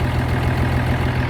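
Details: 1971 M35A2 turbo deuce-and-a-half diesel idling after the fuel pump pickup tube repair, with air filters changed: deep, steady, even low rumble, no misses, knocks or surging. Healthy idle.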